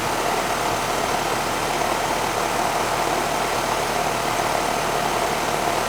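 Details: Outdoor unit of a 10-year-old R-410A two-ton AC system after evaporator coil and TXV replacement, subcooling 11 and charge fine: an even, steady rushing hum with no knocks or rattles. Normal running.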